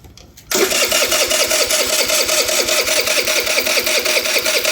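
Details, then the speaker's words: MVP 49cc Chinese scooter, crank no start: starter spins in an even, quick rhythm but never catches; fuel from the tank stops at the petcock, owner suspects a bad petcock or not enough vacuum. "We have fuel from the fuel tank coming into here. It's getting stopped right here. It's not progressing the way it needs to progress."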